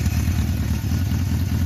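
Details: 1976 Honda CB750K (K6) SOHC four-cylinder, one owner, 2,365 original miles, likely stored since about 1989, probably on full choke: deep, even low rumble with a steady beat and no knocks or misses; normal idle.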